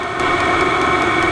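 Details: Vevor diesel heater on first test run, fuel pump pumping faster: steady, airy, turbine-like roar with no sputter or surging; output air hot. Normal running.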